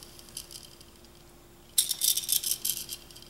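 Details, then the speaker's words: ICS PCR-97 gearbox with the stock ICS bevel and 13:1 gears, after shimming: a light, fast, high-pitched whirring tick for about a second that fades evenly. Gears spin freely with no grinding. "that's beautiful that's kind of spinning you want and hopefully the bevel does come down more so I already know that if you were to check either side of the gearbox there would be no grinding that's frictionless right now"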